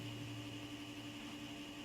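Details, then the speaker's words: i3-540 mini-tower PC, 5–10 years old, at startup: a steady low hum with a constant whine for the first couple of minutes, then normal; CPU fan and board already cleaned, power supply not accessed; source unclear. "so I sort of make him like in a regular sort of low wearing now noise as you can hear which is just really got me baffled"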